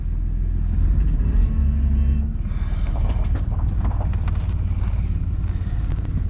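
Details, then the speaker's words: 2000 Chevy Blazer after temporary welded repair of leaking exhaust flange at muffler, on ramps: deep even idle rumble, much quieter, no puffing or ticking from pipes; exhaust sealed, normal idle. "Okay. That's a lot quieter, and I don't have to worry about that muffler falling off."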